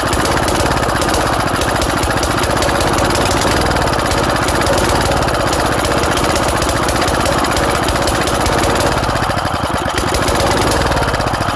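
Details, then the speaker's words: Engine run with its muffler removed: loud, harsh, rapid-fire barking exhaust at steady speed, raw and crackly throughout. "This is just a little bonus ending. I've got to run this thing without a muffler. I need to hear it."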